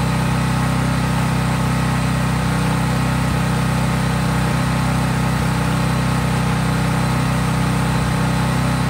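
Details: Craftsman 5000-watt generator outdoors after a cold start, at full governed speed with no load (only an LED bulb plugged in): a steady, even drone, no hunting, knocking or misfire; normal healthy no-load running.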